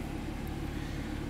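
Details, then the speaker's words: 2013 BMW 3 Series F30 N55 after repairing hard start and stall, then unmetered air found by smoke test: low, even idle rumble with steady beat, no stumble or misfire, check-engine light off, no codes; normal idle. "nuestra luz de verificación del motor está apagada ralentí bien no hice nada excepto para leer los códigos"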